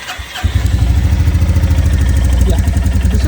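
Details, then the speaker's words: Royal Enfield Classic Reborn 350, J-series BS6 engine, 4,000 km, on a cold start with a cool engine: it fires on the first try and settles into an even, steady single-cylinder thump with no clatter; normal. "cold start everything is normal engine is cool okay"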